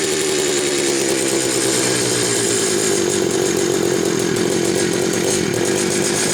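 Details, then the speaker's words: Homelite 330 two-stroke chainsaw, warm: steady, even high-pitched buzz with no stumbling or surging; running good and healthy while the owner awaits parts. "I will wait for those parts to come in from eBay now that I know I've got it running good"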